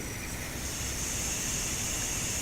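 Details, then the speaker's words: Rhino Evo Arc motion-control pan head: steady airy high-pitched hiss over a faint low hum from the motor body while panning, rising with position; slide motion is quiet. "this increases even more depending on whereabouts is and the hiss is coming exactly from the body in here"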